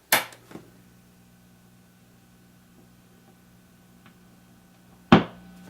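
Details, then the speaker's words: 1949 Gibson BR-6 amp, warmed up, after servicing: sharp pop at switch-off, low mains hum, another loud pop seconds later; suspected field coil speaker electromagnet energising, not confirmed. "That I think that little scratch you hear if it sounds like something popping in, I think that's the electromagnet in this field coil speaker. Because if I turn this off,"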